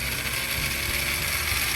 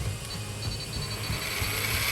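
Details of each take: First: MN99S 1/10 RC truck with metal gearbox, in neutral with throttle raised, before adding oil: loud steady metallic ratcheting grind with high whine from dry gears; adding 5 ml of oil made it noticeably smoother. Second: Metal-geared 1/10 electric RC crawler (MN99S Tubular Pro) gearbox, topped up to 15 with oil and the cap refitted: the motor spins up to a smooth, steady whine with a faint rough edge left, much smoother than before, and no oil leak; normal running.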